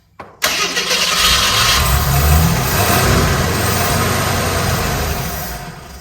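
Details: 1981 AMC Eagle sedan, fed fuel into the carburetor before the bowl filled: cranks briefly, catches and settles into a steady, slightly uneven run; a leaky fuel return hose was found, not audible here.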